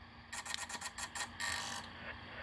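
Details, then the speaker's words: Xiegu G90 20 W HF SDR transceiver, built-in auto antenna tuner tuning at 3.9 MHz: quick bursts of crisp relay clicks settling over faint hum, flat match, normal operation. "you can hear it clicking in there and it sounds like any other antenna Tina you're pushing"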